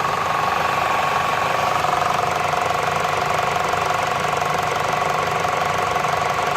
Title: CItroen C5 1.6VTi ticking noise